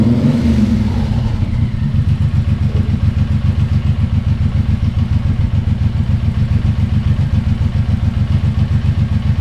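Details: Suzuki Boulevard M109R V-twin just after an oil change with about 3.6 L of fresh oil, idling after the oil light went out: steady, even low thump with a regular firing beat and no knocks or rattles; normal idle.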